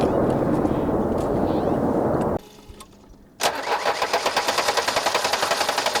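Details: A Mercedes 240 diesel fitted with a glow plug relay box for testing: after a loud noise and a short gap it catches at once into an even clatter, about four beats a second: normal start and idle.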